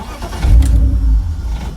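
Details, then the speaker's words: BMW E46 323i with M52 engine, a fault present since the subframe and fuel tank work. A short crank, then it runs about a second and dies, though it starts after 10 minutes on ignition. Crank no start from a failed mass air flow sensor. "so if i go to start it runs for a second stop sit here all day long"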